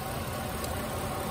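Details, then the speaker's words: 2004 GMC Sierra 1500 5.3L V8 at idle: slightly uneven, stumbling beat; cylinder 5 misfiring because its spark plug wire rubbed on the steering column shaft, burned through and arced. No code is set, but misfires show on live data. "so it's still got a misfire so there wasn't a misfire code in it and um but it is registering a misfire on the data"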